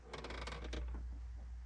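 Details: 2008 Hyundai Tiburon with a known good battery, key turned to start with clutch in: quick patter of light metallic clicks over a low hum, then no cranking; about 7–9 V drop across a high-resistance corroded terminal.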